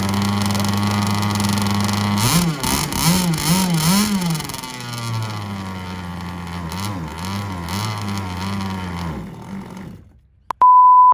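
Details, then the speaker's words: Tiny two-stroke engine on the rebuilt Proboat Riverine 22 RC boat, first start since rebuild, buzzes and blips unevenly, then fades and dies after about ten seconds; it's not picking up fuel and runs only on starting fluid, cause unknown. "just not picking up fuel for some reason it starts and runs but it's pretty much starting and running on starting fluid but when it does fire up holy moly doesn't sound awesome"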